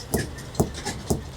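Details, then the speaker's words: Hammer knocks on a trailer tire with central inflation during a pre-trip check: four dull, short thuds about half a second apart with no ring, a dead thunk like an overripe watermelon. Tire low on air; uneven wear also seen. "It's sort of a dead thunk. Sounds almost like a overripe watermelon. It has that thunk."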